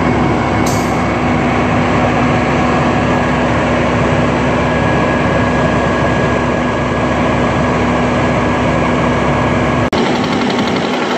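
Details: Caterpillar C12 six-cylinder diesel idling, overheated earlier so that 4 of 6 cylinders cracked piston rings: loud, rough, breathy rush over a steady hum, heavy crankcase blow-by, before in-frame rebuild kit fitted.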